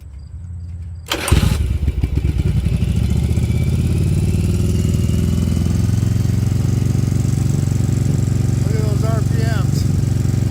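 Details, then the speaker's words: 1994 Yamaha Virago 750 chopper, started and run a couple of minutes: fires up and holds a fast steady idle around 3000 rpm, far too high; high idle from a vacuum leak. "you can see the RPMs on this thing is ridiculous and hey if anybody out there has an idea why this thing's screaming so high by all means comment but look at this"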